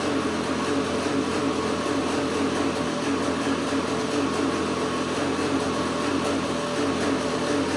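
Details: 2009 Outlaw 525 straight-axle quad with KTM 250SX two-stroke, first start in weeks, idling in neutral: sounds crisper but revs rise and fall slightly; owner suspects an air leak, possibly the power valve not rebuilt with new O-rings.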